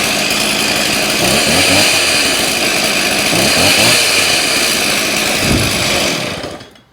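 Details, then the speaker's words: Stihl 026 Pro chainsaw with new intake boot, impulse line, fuel line, filter and OEM muffler, warm restart on factory carb settings; strong, steady high-revving buzz for about six seconds; runs well, compression lower than expected. "see there it fires up seems to be running pretty well factory settings for right now"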